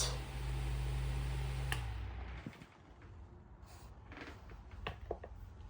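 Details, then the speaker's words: Unbranded 6-inch fan, model 9146G/4C986G, 120 V 0.25 A 60 Hz; low steady hum with no rattle or scrape, showing how quietly it runs once a thrust washer issue is fixed; normal running. "If we were to fix that one thrust washer issue, this is how it would sound. Pretty quiet."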